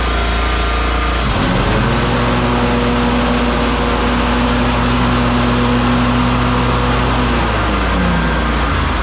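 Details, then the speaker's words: Kawasaki FS541V twin on an Exmark Vantage S stand-on mower, previously popping and low on power under blade load; after repair a steady, even note holding constant speed without popping or stumbling: runs beautifully. "[Music] Runs just beautifully."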